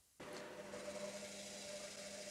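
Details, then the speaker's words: Washing machine after replacing the drain pump (old one failed to drain, no spin): steady low pump hum under rushing water, even note; new drain pump running normally. "और वहां आप देख सकते हैं कि जब आपको बदलने की बात आती है तो यह नाली में फेंककर पानी को कैसे निकाल रहा है"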